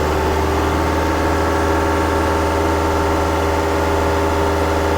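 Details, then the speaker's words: Toyota Fortuner diesel, about 170,000 km, in for noise at front of engine and alternator not charging; steady run around 2500 rpm during alternator test: smooth, even, quiet hum with no knocks or squeals; engine sounds healthy. "มีเสียงเครื่องยนต์ตัวนี้จะเป็นเอกลักษณ์เขานะเสียงเงียบมากๆอ้ะ"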